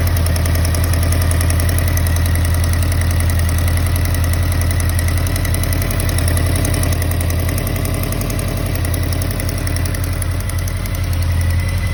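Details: 2013 Honda CB motorcycle at idle: light, quick tick three or four per second over the engine beat, source unknown; engine ticking.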